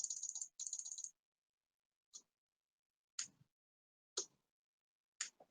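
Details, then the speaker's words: Relay driven by an Arduino: after some handling rattle, sharp single clicks land once a second, evenly spaced, as the relay switches normally while its green LED flashes. "the green light is going on and off and you can probably actually hear that clicking"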